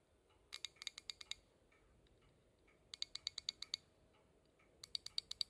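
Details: Subaru Pleo injectors removed after an engine noise was traced to them, bench-tested off the engine: sharp, quick clicking in bursts of about seven; one injector sounds clearly different from the others, pointing to a faulty injector.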